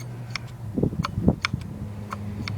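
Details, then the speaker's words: Hard drive spinning at about 7200 rpm, two platters and four heads: crisp irregular clicks over a steady low spindle hum as the heads move back and forth seeking data, normal during defrag or disk check. "what you hear when you hear your hard drive clicking is is this thing going back and forth getting all that data"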